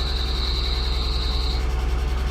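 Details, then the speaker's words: Salvage-title wrecked 2001 Mercedes-Benz SLK320, 6-speed manual, first start after bypassing immobilizer with twisted wires: even, steady idle pulse with shrill car alarm tone over first second and a half; engine runs smoothly. Coolant low, owner suspects radiator hit. Normal idle. "So it starts, but the car alarm's going off. That's awesome."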